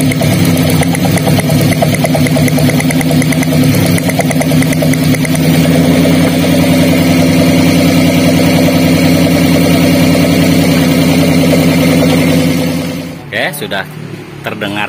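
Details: Daihatsu Gran Max with a limping, low-power engine at idle: lifting the cylinder 4 coil gives no spark sound while cylinder 3 sparks. Lumpy, limping idle with an uneven stumble, a misfire from a dead ignition coil.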